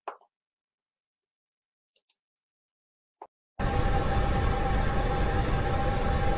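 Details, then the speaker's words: Hydronic heating system: after a few faint plops, a steady, even rushing hiss like a neighbour running a sink behind the wall; flow noise at the thermostatic valve seat from water flowing too fast. "Tento zvuk je v podstatě takový zvuk, jako když soused bytě za vámi za zdí pustí vodu v umyvadle. Tak zhruba bych to asi přirovnal takový hučící, šumějící zvuk."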